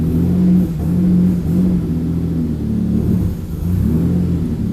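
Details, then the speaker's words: Very cold engine, no coolant in, after fuel pump swap, awaiting dyno tune: low uneven rumble, revs rise and sag instead of climbing cleanly; running very rich and hesitating, needs a tune. "she's not liking revving because she's very, very, very cold. Really does need a tune, so we'll get on to that one next, I think."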